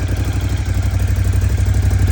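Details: 2018 Ducati Scrambler 1100 Special, 730 miles, idling: even low thump with light regular clatter on each firing beat since new; owner suspects piston slap, Ducati says normal; unconfirmed.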